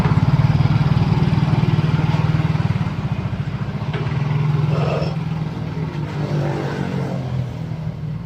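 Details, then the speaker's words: Soul GT 125 scooter, complaint of crackling noise and swaying at slow riding around 40 km/h, after parts replacement: small single-cylinder engine thrumming steadily, revs rising and easing smoothly, no juddering or knocking; normal CVT drive, customer's road test confirms fixed. "Oke guys. Ini permasalahannya udah beres, kata customernya langsung yang nyoba, bukan saya."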